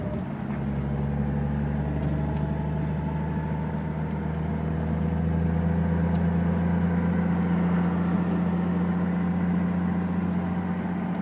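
A steady low drone with a humming tone that creeps up slightly in pitch at idle. Something is off, but the source is unclear.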